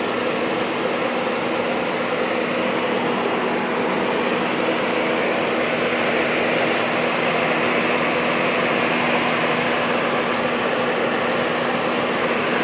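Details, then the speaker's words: Jeep JK with LS3 swap, engine compartment boxed in with cold air box and large coolant recovery bottle: high-speed radiator fan kicked in from AC condenser pressure, not coolant temperature; steady even rush of air, faint hum, no pulsing or rattle; normal. "You'll hear our high-speed fan kicked in, and that's because of our AC condenser pressure, not because of our engine coolant temperature."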